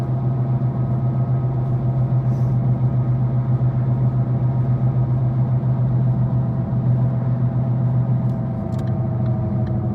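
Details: 2013 Ford Focus cruising: steady low drone over road noise, holding even at speed, loud in the cabin; cause was a bad left-front wheel bearing, confirmed and replaced.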